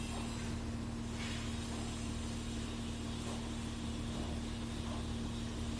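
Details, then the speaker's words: Porsche Cayenne diesel (2011–2017), after swapping a relay to fix no-start and no ECU communication: quiet, steady idle with an even low rumble and faint hum, no misses or knocks. Faults cleared, engine control unit scans, car OK. "यह clear हो गए सारे file चले गए हैं जो engine control unit पहले तो स्कैन नहीं हो रहा था तो स्कैन हो गया है और गाड़ी ओके हो गई"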